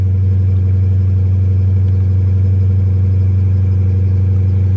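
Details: Dodge Charger at salvage auction, 59,000 miles, minor bumper damage, low fuel, oil change due, no warning lights, no airbags deployed: smooth, steady low drone with no knocks, ticks or rattles; runs evenly and healthy.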